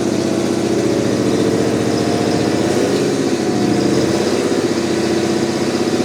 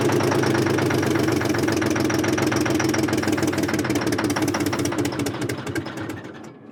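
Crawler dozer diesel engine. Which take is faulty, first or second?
second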